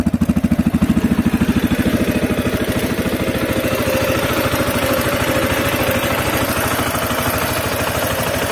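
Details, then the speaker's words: CSC RX3 single-cylinder idling evenly right after the first valve adjustment and reassembly, faint light ticking on top; owner hears slight valve tapping but the CSC website calls it normal ("tappy valves"), so normal idle. "i don't know if you guys can hear it like i hear it but the the valves they're a tiny just a tiny bit of tapping and um reading the csc website you know they said tappy valves or happy valves so i'm not concerned with that sounds great"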